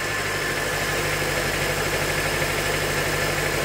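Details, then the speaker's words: 2005 Honda Element manual, engine a shop diagnosed as bad: shaky, lumpy idle with a stumbling beat, misfire; power balance test finds cylinder 2 not firing, signs of burning oil. "shaky it is. It's obviously got a miss. So I'm gonna do a power balance test here real quick."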